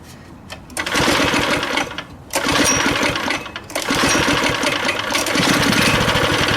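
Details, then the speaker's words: Neighborhood go-kart single-cylinder engine running after fuel was switched on and carb cleaner was sprayed in. It pops with sagging dips and no rise in speed because the throttle does nothing. The owner suspects missing linkage. "Alright, well, it's running. Throttle's not working. What's going on here? Well, it's running, but the throttle's not working."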